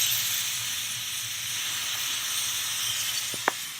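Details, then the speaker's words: Pressure cooker on a big gas flame brought up to full pressure: steady, even steam hiss from the lifting weight with one small click near the end, before moving to the smaller ring; normal operation. "I just wanted to show what's going on to maybe say we've had gone for glass anything hear that hissing noise and you can see that the little vowel that beat us"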